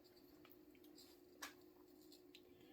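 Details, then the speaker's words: Mid-to-late-1980s 36" View Fan industrial ceiling fan with stamped-steel motor, running before being turned up to speed two: steady low motor hum with faint airy hiss from the bearings. "and you can already hear the bearings hissing that is powerful of course with these things the bearings were definitely very quality even out of the box"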